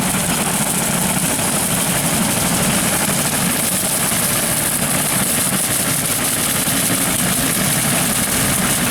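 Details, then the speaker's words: Tractor at 1500 rpm with a Woods 15 ft brush hog cutting golf course grass, taking a slow wide turn with no stress on the vertical drive. Steady deep rumble, even drone, no knocks or clatter. Normal running under light load. "there's no stress on that that vertical pulse right there that's what we're trying to protect"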